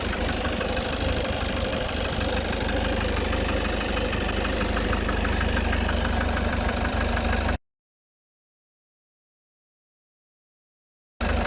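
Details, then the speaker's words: Citroen Relay van diesel at 12,800 miles, noise present since about 4,000 miles, recorded from the front of the van. A regular hard knock rides over the idle clatter three or four times a second, worsening the longer it idles and as the engine warms. "Hear this, that knocking's getting worse. The longer and longer I leave it like this, the worse it gets."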